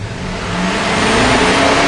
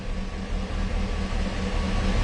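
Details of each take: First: Warm 2006 Chevy Silverado 6.0L V8 after fixing the crank sensor wiring (P0335/P0336): revs cleanly and holds an even, steady note with no stumble or surging. The tach, previously jumping, is now smooth, so the problem is fixed. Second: Warmed-up 2006 Chevy Silverado 6.0L V8 still setting P0335/P0336 after a new crankshaft position sensor: runs bad on throttle, with rpm climbing unevenly, jumpy and stumbling, then dropping out completely, plus a backfire.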